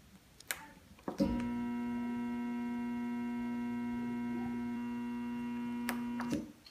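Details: Jacuzzi tub jet pump motor with the breaker on and the GFCI showing a green light: a steady electrical hum for about five seconds with no spin-up, as the seized motor stalls.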